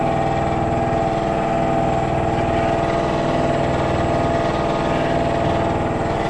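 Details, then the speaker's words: 100 L twin-cylinder workshop air compressor that kicked on during a Peugeot 3008 1.5 BlueHDi oil and filter service: steady even pumping thrum at about four beats a second, constant pitch, refilling its tank; running normally. "Compresseur qui s'est mis en branle."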